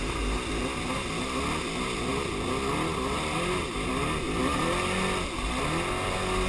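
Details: Superjet jet ski that began running rough after refueling. Lumpy, stumbling running that sounds like it fires on only one cylinder. Fresh gas did not fix it, compression is even and plugs look okay; owner suspects plug wires or ignition, not confirmed.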